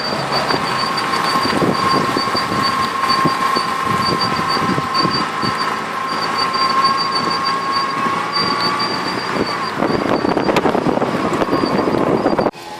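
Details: Steady high-pitched squeal near 1 kHz with thin whistle while rolling: sand or stone wore a groove into the brake disc, leaving a ridge on the pad; sanding the ridge stopped it, disc needs machining.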